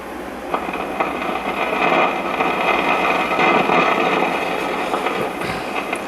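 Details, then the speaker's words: A 1956 (owner unsure, possibly 1955) GE Model 940 tube clock radio gives a constant hissing crackle with sharp irregular pops, like a thunderstorm. It comes from failing silver mica capacitors in the IF transformers, and tuning picks up no stations. "as you hear it's got the telltale signs of a thunderstorm sound which is very characteristic of SMD bad capacitors and the iaf transformers and you can tune around pick up a single thing"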